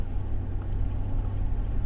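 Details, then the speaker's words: 2012 Chevrolet Tahoe after replacing spark plugs and fixing an installation error that caused cylinder 5 misfire: deep, steady rumble pulling evenly on throttle with no stutter or jerk; normal acceleration. "ما شاء الله الآن عندي السيارة اختلفت، ما عاد فيه تقطيع، ما عاد فيه زي السحبية أو النتعة."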